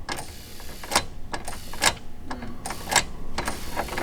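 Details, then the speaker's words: Nissan 350Z being wired from scratch with an SR engine, starter fed through a fan relay: sharp irregular clicks about once a second with no cranking; the relay is not supplying enough current to spin the starter. "all right guys so I think my relay is just not cutting it"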